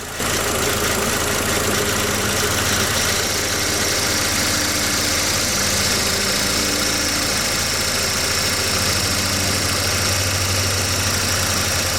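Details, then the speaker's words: VW Passat B5.5 with lack of power steering, idling: steady high whine over the engine, owner suspects low fluid; power steering pump whine. "since we're still making a terrible whining noise I'm guessing there isn't enough in it"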